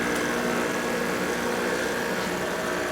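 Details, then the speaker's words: 1986 Ford Honey motorhome air conditioner with condenser taken from the other air conditioner, on a makeshift plug-in: steady humming drone with fan rush and no rattles or cycling; compressor running normally. "But don't know if you can hear the compressor running. I can."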